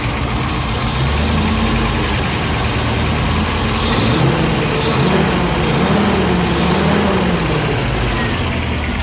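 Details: 1972 Range Rover A-suffix V8 under restoration, during ignition timing checks with a strobe: steady, even low burble at warm idle with no knocks or stumbles.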